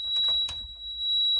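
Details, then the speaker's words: 1990 Buick LeSabre Estate Wagon V8: steady, piercing high-pitched dash beeper tone under hand rustling, cause unknown; it stopped after the beeper was found and removed. "What the F is this sound?"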